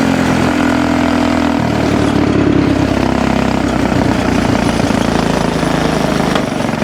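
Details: Axis/Coleman M200 mini bike, 196cc single, tuned 22mm Mikuni carb with needle raised, exhaust, governor delete, flat out at about 31 mph GPS max: note pinned at one pitch, won't rev higher; owner suspects stock valve springs floating.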